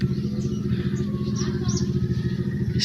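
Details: Suzuki DA64 Transformer multicab after its worn, compressed shock mounting was replaced gives a steady low engine rumble over bumps, with no knocks or rattles; the suspension sounds solid.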